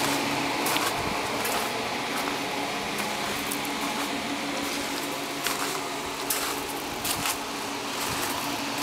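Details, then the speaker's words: Prototype Volvox GenStation Solo (S1100) generator after engine shutdown following an offload cool-down phase: steady airy whoosh and low even fan hum as enclosure cooling fans keep running until enclosure temperature drops; normal. Camera microphone exaggerates noise level. "once the generator shuts down the the fans continue until the temperature of the enclosure there we go and as you can hear the the pans are still running and we'll continue until the temperature over the enclosure is down to something"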